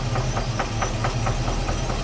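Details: Chevy Caprice, 1988 model, 350 V8 with 650 cfm Holley carburetor, transmission only has 1st gear: sharp regular knock about four per second over a steady idle, also felt through the valve cover; cause undetermined.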